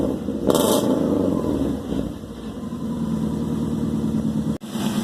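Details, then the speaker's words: Subaru Forester daily driver after junkyard-style homemade exhaust rebuild, first start: cranks, catches and settles into a steady even idle with no ticking or puffing; no exhaust leaks heard, only tiny holes found. "pretty good so far I don't hear any exhaust leaks"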